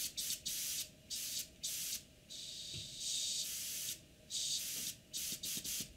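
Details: Airbrush after tightening the loose air valve underneath: short, clean bursts of steady hiss that start and stop crisply, with no popping, sputter or leak between bursts; the airbrush sprays normally.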